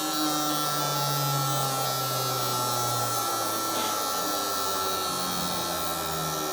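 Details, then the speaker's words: Four Toyota Hilux injectors on a cleaner/tester bench, one-minute flow test simulating up to nearly 10,000 rpm: steady high-pitched buzz with fast, even clicking, no dropouts; sound healthy, flows 92-98 ml, 6 ml spread. "so it takes up to nearly 10 000 rpm they're actually not that bad"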